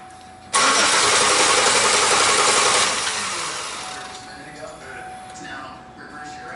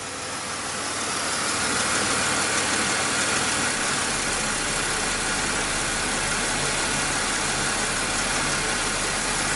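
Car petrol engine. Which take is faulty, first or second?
first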